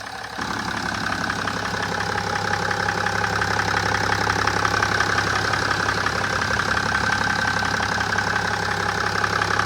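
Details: BMW E60/E61 530d M57N2 LCI diesel at idle: steady, regular knock of about three beats a second over the diesel clatter; owner unsure whether piston or valve knock.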